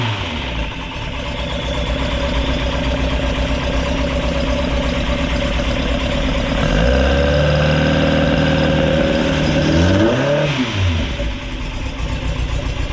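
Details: Ford crossflow race engine in a TVR Vixen, rebuilt with a loaned cylinder head, first start after finding a cracked part: steady lumpy idle, then two crisp revs rising and dropping cleanly; runs healthy, not yet warmed up.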